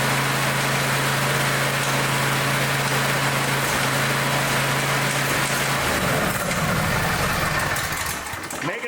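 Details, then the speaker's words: Small engine after broken-off spark plug repair runs rough with an uneven clattering knock over the hum; suspected pieces of the old spark plug loose in the muffler. "that noise that I heard that could be pieces of the old spark plug that are probably laying in the muffin"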